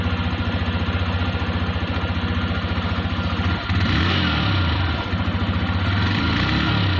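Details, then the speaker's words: TVS Raider 125cc BS6 bike with 2,500 km: a low-speed putter with a regular beat that stumbles and drops out twice, then recovers. The engine is missing at low rpm. "तो दूसरा इसमें problem है जो की तो यहां पर slow RPM पे बाइक हमारी मशीन कर रही है जो की आपने देखा है इस तरह की मिसिंग कर रही है"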